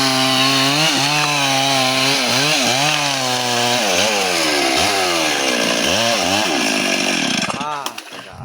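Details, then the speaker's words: Chainsaw cutting wood: engine repeatedly drags down in pitch and recovers as the bar gets pinched in the cut. "Aduh kejepit tuh gajinya euy."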